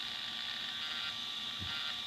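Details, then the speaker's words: ECX AMP MT RC truck with new Power HD LW-13MG steering servo at full lock: steady high-pitched buzz and slight grinding as it pushes past the wheel stops; needs endpoint or dual rate adjustment. "kind of hear it grinding a little. It means the servo's trying to push the wheels further than they can turn."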